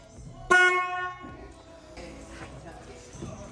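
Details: 1970 Ford Boss 302 Mustang during function checks after a full front-to-back rewire; single clean horn blast of about three quarters of a second, steady bright tone, then quiet garage; horn healthy.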